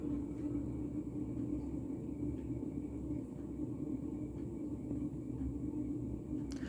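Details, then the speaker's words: Mid-1980s Montgomery Ward Evergo 48" spinner ceiling fan, model 4E-3LW, on original solid-state control, likely run 24/7 for long periods: steady low rumble, faint hum, soft once-per-second pulse; worn bearing noise rather than motor noise. "so i take back what i said about having a motor noise that actually the motor isn't that loud it's more bearing noise than motor noise"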